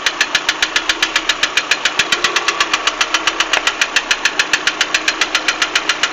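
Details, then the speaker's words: 2008 Lada Priora 126 engine, mileage unknown and oil level full: a sharp, strong metallic knock at idle that disappears when the throttle is released and does not change when each coil wire is pulled; the cause was a broken piston skirt on the intake side. "вот такой стук стук сильный отчтливый звук пропадает при сбросе Газа но не меняется при снятии провода с каждой катушки не меняется"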